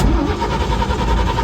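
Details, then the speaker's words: 1954 GMC 150 farm truck, sat 30 years, stalls because the glass-top fuel pump pulls air. On restart it turns over and catches only roughly for a moment, lumpy and unsettled: hard starting from fuel starvation. "And she's pulling a lot of air, that's why she stalled. That's okay. We'll get this thing pumped back up again and started. It's just a shame that glass top fuel pump has decided to not want to work with me here, but that's okay."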